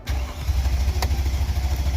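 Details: 2002 Mercedes-Benz CLK430 5.0L that dies intermittently: steady starter cranking with no firing and no RPM signal, plus a crankshaft position sensor code; a bad crank sensor is suspected, not confirmed.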